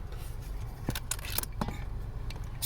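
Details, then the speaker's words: Van steering noise when turning the wheel: quiet scattered creaks and dry scraping from the dry steering shaft from the wheel, down by the accelerator and brake pedal, rubbing in its boot, not the suspected spot; fix is lubricating it with any grease or lubricant. "el ruido viene aquí que es la barra que viene del volante seco no mueve y si alcanza de ruido"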